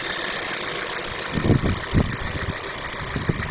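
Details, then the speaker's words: Warm Kia Rio at 224,000 km, driven 134,000 km after the catalytic converter collapsed at 90,000, with past overheating and oil starvation: loud rough idle with heavy irregular thumps; engine knock, cause not pinned down. "То есть и стук здесь есть, который многих интересует, потому что машина громкая, скажем так. Можете послушать, кого интересует. Это двигатель прогретый."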